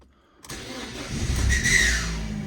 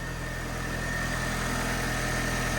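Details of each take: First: Newly acquired project car with damage and 64,000 miles, key start: the engine cranks and catches with a harsh raspy scraping, then ticks over fine. Starter motor or alternator suspected, not confirmed. Scraping noise on engine start. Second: Engine with 64,000 miles at idle: smooth, even ticking over with a steady low drone, no knocks or misses, brief bumps near the end; separate scratching noise suspected from starter motor or alternator; normal idle.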